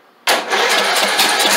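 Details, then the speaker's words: Craftsman LT2000 lawn tractor, unstarted for years, on its first start. The frozen throttle plate stuck closed and then hung open, with the governor frozen. The engine catches abruptly, revs up, and runs rough and unsteady for about a second and a half. "Oh, the throttle shaft, the throttle plate was completely froze. That's one reason it wouldn't crank. It was closed."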